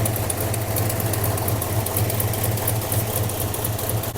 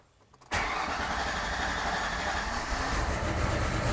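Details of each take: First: Hellstang Mustang at low idle, downpipe leak present, vacuum line not yet hooked up (owner expects it to run better with vacuum), alternator not charging (about 12.2 V): uneven loping beat about two pulses a second with stumbles, cause unconfirmed. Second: Project Hellstang V8, gauge read 0 psi though the pump ran: starter catches immediately, settling into a lumpy but steady idle with slight rise at the end; fuel pressure present, normal start.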